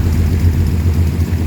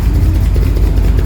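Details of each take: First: 1938 SS Jaguar 3½-litre six in a drophead, first start in over 50 years, after replacing old plugs (two of six failed): steady low throb at constant idle, even firing, no misses; runs much better. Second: 1938 SS Drophead 3½ Jaguar six-cylinder at its first start in over 50 years: a deep, heavy idle with an uneven, lumpy beat and slight stumbles; still being adjusted, with the spark plugs under suspicion, cause unknown.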